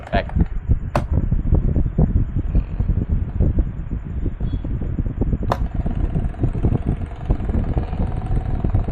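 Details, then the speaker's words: Cosmos electric fan on speed one, before disassembly: dry irregular crackling and rattling over steady fan hum; owner suspects the bushing, not yet confirmed, later replaced along with the 8 mm shaft. "Jadi suaranya berisik banget. Di sini ada beberapa faktor atau beberapa penyebab, bisa juga ini baru dianalisa atau baru saya prediksi. Mudah-mudahan kerusakannya antara bosing aja gitu."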